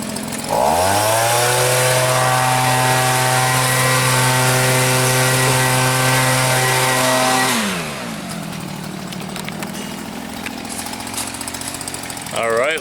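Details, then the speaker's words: Old Stihl leaf blower after carburetor cleaning and tuning: holds a smooth, steady high rev for several seconds without fluctuating, drops cleanly to an even idle and keeps running; good idle and throttle response, stalling fixed. "i think we got that one fixed it sounds like entitling good and uh good throttle response it's staying running"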